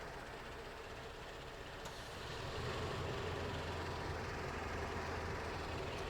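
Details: 2004 Toyota Tacoma 4-cylinder at idle, before the IAC valve replacement: slow, lumpy, uneven rumble. The idle is too low; it should be 600–700 rpm, and the base idle stop is misadjusted and not touching.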